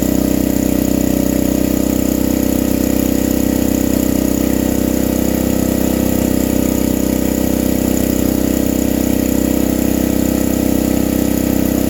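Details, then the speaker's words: Vintage generator, Tecumseh engine driving an Onan generator head: loud, steady hum with a fast, even beat of about four per second; owner feels it runs faster than it should, and the generator gives no output; possible over-revving. "This thing was really humming. I don't know. It felt like it was running faster than it should be."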